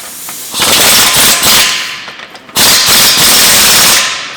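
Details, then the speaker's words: 2005 BMW E90 320d diesel with stage 1 software, throttle blips: loud raspy chuffing and hiss swelling with each blip from a rotten flexible exhaust pipe that needs replacing. Exhaust leak at flex pipe. "Alin: you will fix it when you'll replace the flexible pipe ... Ion: for sure, the flexible pipe needs to be replaced, look at it ... It is rotten!"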